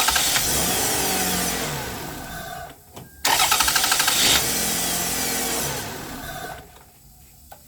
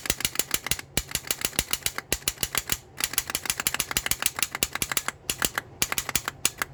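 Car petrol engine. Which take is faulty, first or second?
second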